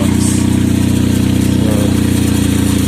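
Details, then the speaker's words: Chevy Traverse on remote start: loud raspy idle with a deep steady pulsing from an exhaust leak where the exhaust bracket weld broke off, leaving a big hole. "The bracket that is holding the exhaust has come out. It has broken where they welded it has broken. It is broken. It has broken. And therefore it's making all that noise."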